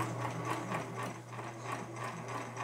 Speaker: great it has a little whining noise which is coming from here from this uh hand wheel gear and because there's a plastic gear here connected to the metal